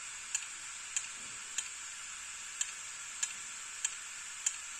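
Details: Opened hard disk drive: sharp dry clicks about every 0.6 seconds over a steady high hiss. Drive clicking (ticking) from inside; data said still recoverable.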